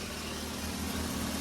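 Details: Nissan Sentra B14 EX saloon, running after the crank-no-start fault: short stretch of steady low idle, fairly even but a little rough underneath, still needing a tune.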